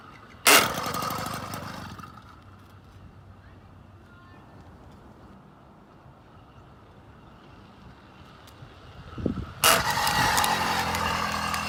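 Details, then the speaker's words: 80cc engine with JLZEDA belt drive on a Schwinn Swindler: harsh grinding burst at startup dying within seconds, again on restart; clutch not too tight, owner suspects insufficient belt tension. "So I know it's not that. But let's start this up so you can hear that grinding noise."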